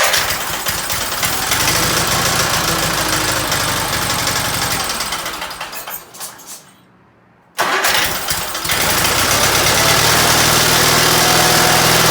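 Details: Case 446 "Big Wheel" lawn tractor twin, barn-stored several years, after removing carburetor air-filter screws that fell in and held valves open: cranks, catches, brief cut-out, then steady even rumble, no knocks or misses; normal running.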